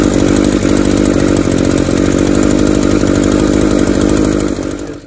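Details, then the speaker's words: Echo SRM-280S trimmer run without air filter, engine on its way out: thin, uneven buzzing two-stroke with ragged beat and little punch, still running; low compression. "definitely a little bit low in the compression compression department"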